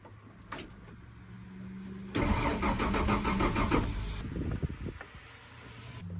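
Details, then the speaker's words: 1994 Ford F150 cranks about two seconds with an even beat but never fires; fuel pressure tested after switching tanks. Suspected failed fuel pump(s), clogged fuel filter, or a stuck gauge. Not confirmed. "so we may have two problems going on at the same time either the fuel pump's not working both the fuel pumps aren't working or the the fuel filter is clogged"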